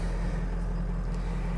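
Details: 2005 Ford Excursion 6.0L Powerstroke diesel, 227k miles, built motor with new injectors, ARP head studs, EGR delete, relatively cold start on a hot day, wait-to-start light on; fires right up into a deep steady even idle, no knocks or misses; normal idle.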